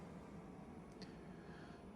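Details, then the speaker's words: Fresh Ventilation inline centrifugal fan at roughly 40% speed, still moving about 200 m³/h while pretty much silent; only a faint, even airy hush with no hum, rattle or whine. Normal, quiet running at low speed. "So now the fan is pretty much silent. We're still getting 200 cubic meters of air flow."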